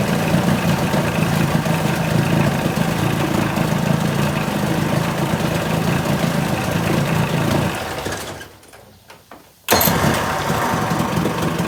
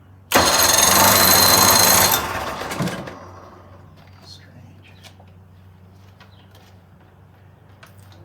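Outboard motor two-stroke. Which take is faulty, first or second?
second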